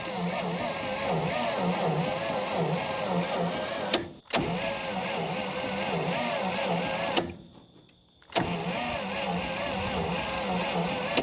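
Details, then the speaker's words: 1952 Dodge Power Wagon, unused for 16 years, with fuel poured into the intake: slow, uneven starter grind in short bursts, turning the engine lazily without firing; it is possibly flooded. "She ain't spinning over so quick."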